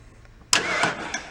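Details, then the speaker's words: 1970 Mercury Cougar XR7 barn find, in a barn from 1977 to 2003, cranked by jumping the starter solenoid: a starter whir with a few slow, uneven pulses and faint spark ticking, never catches. Cranks but won't start; the cause is not yet known. "actually sounds like the key is off but it sounds like it's got a little bit of spark you hear ticking going on"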